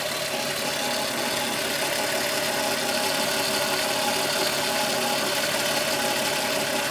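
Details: VW Golf VR6 2.9, 103,000 km, steady idle: busy, hissy metallic rustle over the engine, like a chain rubbing up front. Noise grew louder after the upper hydraulic tensioner screw was replaced; cause suspected, not confirmed.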